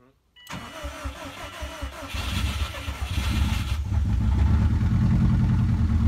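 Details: Subaru WRX first start after the owners' rebuild work, with the exhaust underneath not bolted together: steady cranking, then it catches into a loud, lumpy, raw idle from the open exhaust. The engine starts and runs.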